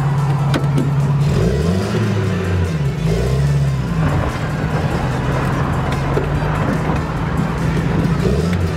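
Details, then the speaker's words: Datsun Roadster pulling away on the drive home after a roadside breakdown caused by the distributor rotor slipping off. Revs rise and fall smoothly with no misfire or stumble under load; it sounds healthy, a normal running sound. "sounds healthy to me is it Go time you bet get this lovely o home"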